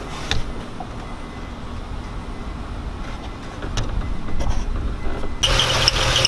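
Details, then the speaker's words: Nissan 350Z at startup right after replacing serpentine and A/C belts: engine settles, then a thin high chirping squeak over the idle; belt tensioned too tight, likely serpentine side, to be loosened. "you guys can hear that little squeak that's because it's too tight"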